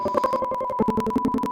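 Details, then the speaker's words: Kent RO water purifier beeps steadily at switch-on with no pump or motor running and no water output; the whole unit stops, and the beep means the filter has gone bad and must be replaced. "और इस beep sound की वजह से आरो पूरी तरीके से stop हो जाएगा ना इससे पानी निकलेगा ना इसका मोटर चलेगा और ना कोई इसमें एक्टिविटी होगी केवल और केवल बीप साउंड सुनाई देगा और य बीप साउंड कुछ और नहीं बीप साउंड का मतलब है आपका फिल्टर खराब हो चुका है"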